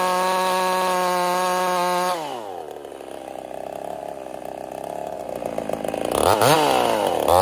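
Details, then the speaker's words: Ported Husqvarna 55 chainsaw in the cut: high steady scream drops hard once the chain bites and stays bogged low. Down over 1000 rpm over about half a tank, new coil didn't help, couldn't get through two cookies; power loss. "I've lost over a th000 RPM since this started having issues in we'll say about a half a tank of gas the coil did not correct the problem so it's actually running pretty horrible right now"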